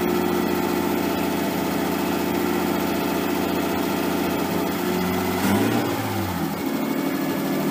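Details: Nissan 240SX S13 with swapped RB20DET, first start after over a year sitting, once power was fed to the wire by the ECU and the crank angle sensor reinstalled: smooth, even, noticeably fast idle with a brief throttle blip. Idle is way too high and AFR unset; it might be burning a tiny bit of oil.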